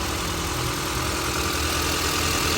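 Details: 2010 E73 running dual gas and petrol, previously shaking and stumbling and stalling on gas, now idling steadily and evenly after repair with no stumble, misfire or knock.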